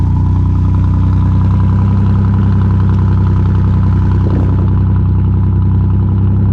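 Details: 1988 Chevy Camaro RS that sat over a decade, first start after fuel system overhaul, fuel pressure confirmed. Steady even V8 idle, smooth low rumble, no knocks or misses; normal idle.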